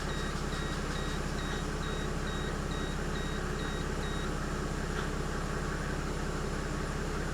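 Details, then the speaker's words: 1997 Mercedes E300 (W210) diesel after replacing all six glow plugs: steady even idle clatter, no misfire or stumble, dash chime beeping; knocking rough start before repair now gone, runs smooth. "yeah she sounds good she sounds really good"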